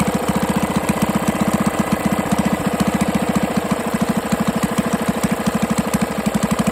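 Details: 98cc small single-cylinder engine first run after rebuild with better used parts and honed cylinder, break-in oil, intake leak suspected: thumps unevenly with sharper bottom-end knock each beat; hand rotation shows clunk, loose connecting rod; no longer smoking.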